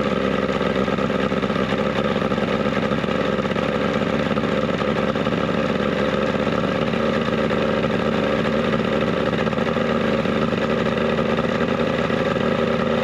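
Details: 70 hp two-stroke Mercury outboard on a 1967 Duo boat, carbs cleaned, run on choke with old impeller left in place, running a little warm; steady buzzing two-stroke run at even pitch, no sputter; normal running.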